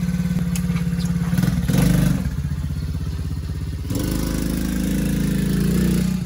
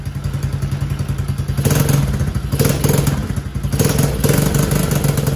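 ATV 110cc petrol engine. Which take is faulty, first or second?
second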